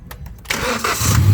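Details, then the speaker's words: 2018 Hyundai Accent gasoline engine, previously cranking but not starting; fuses, coil and scan checked OK, charging 14.3 V: a few faint cranking ticks, catches within half a second and settles into a strong, even run; fuel reaching rail and injectors. "Yon. So bastante na yung gasolina rito sa Common Rail. Going to injectors. So napakaganda."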